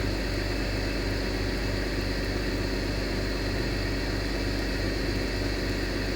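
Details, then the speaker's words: BMW with new front O2 sensors (bank 1 and bank 2 sensor 1), just after cold start: steady droning hum over smooth idle as the secondary air injection pump runs normally and the sensors detect air in the exhaust; the old sensors were too slow. "So I can hear the air injection pump. It's running, and now the sensors start moving."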